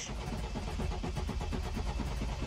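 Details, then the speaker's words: 2013 BMW 528xi, 2.0-litre turbo four-cylinder, at auction lot: steady, even starter cranking keeps turning over but the engine never catches; cranks without starting, cause unknown, jump pack to be connected. "ouch wow it didn't even start maybe uh we need to connect our jump pack"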